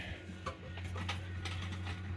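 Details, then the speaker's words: Decca portable record player after electrical and mechanical overhaul, changer dropping the next 12-inch record at 33 rpm: soft hum under light mechanical ticks and clicks, arm indexing normally; normal changer cycle. "now what we'll do is we go to the next record that will drop and then of course the tone arm knows that it's a 12in"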